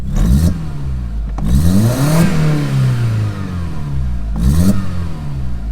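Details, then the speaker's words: Audi S3 with a non-working turbo after changing the MAP sensor: engine warning light gone but revs rising and falling through blips carry a rough clattering rattle; runs better with no misfire, still no boost, cause unknown. Abnormal engine noise under revving. "the engine magima light's gone but the sound is still there if you guys can hear"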